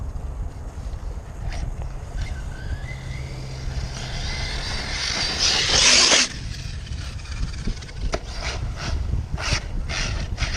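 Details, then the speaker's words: Arrma Kraton 6S RC truck with upgraded V3 shocks on slick grass: harsh gritty grinding bursts over electric drivetrain whine under throttle; front diff case cracked, letting crown and input gears slip, with loosened gear mesh; teeth found intact, later fixed. "this green stuff still really slick I got to be careful not to blow these wheels off oh there was she's a grinder oh"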